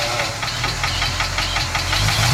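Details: 1967 International Harvester 1200B pickup: loud, quick, steady ticking while running, likely at idle, that persists after warm-up; owner suspects lifter tick or something more serious.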